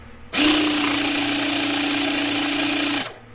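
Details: Xiaomi MJCQB02QJ electric air pump, after protective board reactivation and E8 fault cleared, inflating toward 30 PSI: steady, even motor drone with constant mid pitch holds firm under load; motor and protective board normal.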